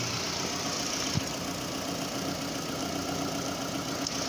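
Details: 2009 Toyota Camry idle, codes P0171 lean bank 1 and P0303 cylinder 3 misfire, coils and injectors being scoped: irregular stumble and uneven pulses under steady hum; cause not yet confirmed.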